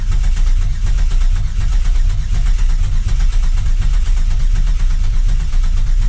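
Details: 2000 Camaro 3.8L V6 after engine reinstall, cranked with injectors unplugged to build oil pressure before first start: even rapid starter chugging, no firing, engine spins freely; normal cranking.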